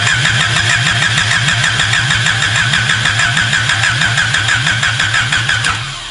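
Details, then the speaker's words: 1986–87 Honda Civic Si with swapped DOHC D16A1/ZC engine from a 1989 Integra, first start attempt, fuel line primed and fuel smelled, check light on, wiring unverified: steady cranking about three pulses a second for six seconds, never fires; no start. "I can smell it, it's getting plenty of fuel, but I did get a check light there, which is a good thing."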